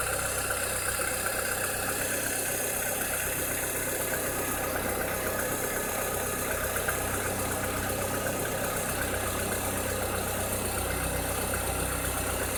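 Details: 2006–2007 VW SpaceFox engine at idle with a strange noise: an uneven, faint knocking or rattling about two to three times a second over a hissy background; source unclear.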